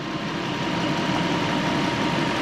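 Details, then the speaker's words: Toyota Soarer SC400 V8, warm after coilover removal and a cooling-system bleed: a faint steady whirring whine over an even idle; the noise is rotational and goes away with the accessory drive belt off, so it comes from the belt-driven front of the engine. "So, diagnosis of a noise like this. It's rotational. Whip the fan belt off, or the accessory, the drive belt, noise goes away."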